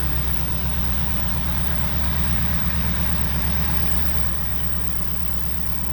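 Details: 1964 Buick Riviera V8 revived after sitting about 23 years, idle turned up, charging at 13.2 volts: deep even idle with steady low rumble, no knocks or misses; normal idle.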